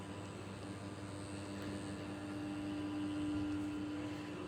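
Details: Steady low hum around 300 Hz from a ceiling fan motor, even throughout under faint background noise; cause unknown.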